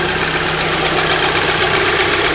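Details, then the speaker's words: Audi S3 8P TFSI after cam timing chain replacement, restarted after refitting vacuum lines (earlier start ran rough); steady, even idle with bright hiss on top, no misfire, knock or hunting; engine now smooth, normal idle. "yep crank another sounds better hey you guys really nice and smoothly"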